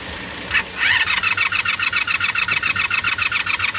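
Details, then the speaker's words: Carbureted motorcycle with suspected bad starter solenoid and leaking carb, gas sprayed in: steady quick starter whir, even compression beats about 3.5 a second, never catching. "Oh damn, you know what? It would probably help if I turn the key on."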